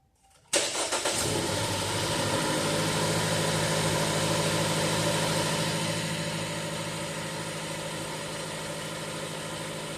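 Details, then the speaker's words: 2016 Jeep Cherokee 2.4 MultiAir, shaking while driving and idling: uneven idle with steady repeating stumble, consistent dead miss on cylinder 3, no firing line in its ignition trace; engine misfire at idle. "But based off the way that this runs, and I'll get you a shot of it here, it's kind of consistent miss, sort of dead miss."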